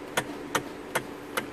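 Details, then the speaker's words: Hyundai Sonata steering column: four sharp metallic clicks about 0.4 s apart. Worn flexible coupler (part 56315 2K000) has lost its rubber, giving metal-to-metal contact that sounds like rack and pinion noise but isn't. "But this noise that happens down here, sometimes it sounds like it's the rocking pinion, but it's not the rocking pinion, it's actually this causing it, because this wear out, so it causes it to make that sound, because there ain't no rubber, it's like metal to metal down there."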